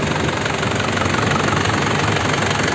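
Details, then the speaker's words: 2003 Isuzu Panther LS diesel, well kept, new Delta Lube oil and filter, original radiator, engine already warmed up; steady, even idle clatter with no misses or odd knocks, sound stable. Normal idle. "mesinnya juga udah saya panasin, suaranya sudah stabil, masih enak."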